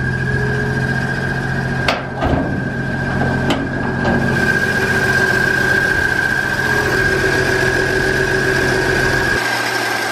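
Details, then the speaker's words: 1965 Ford F100 inline engine idling just after a new clutch install: steady high-pitched whine over low rumble; suspected throwout bearing or break-in, reluctant to go into gear; checking whether clutch pedal changes it; cause unconfirmed. "that sounds like throw up bearing do not want to go into gear no all right there might be a little bit of adjusting sounds almost motor"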